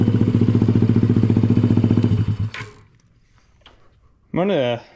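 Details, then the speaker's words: Honda ATC70 with a Piranha 140cc single, warm idle after first start: a quick, even putter with no knocks or misses and an exhaust that isn't harsh, then it cuts out; the owner thinks it may run a little lean. "Just going to let it idle for a second or two. Exhaust sounds good."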